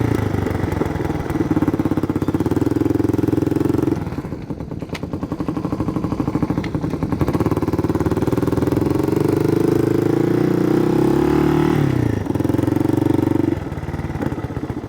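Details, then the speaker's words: Yamaha 225DX three-wheeler, factory carburetor repaired after an aftermarket carb failed; fires up, idles without choke, ridden through first to fourth gear. Single-cylinder thump pulling cleanly, dipping and recovering with each shift, settling to steady idle; normal running. "so far so good we're in second gear not bad first and second gear working good guys third gear works"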